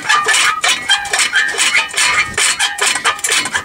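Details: Daihatsu Rocky front hub during hub and disc removal: light, irregular metallic clinks and ticks as the hub turns, like a loose dust/dirt protector guard rattling; owner checking for a missing nut or bolt, suspected, not confirmed.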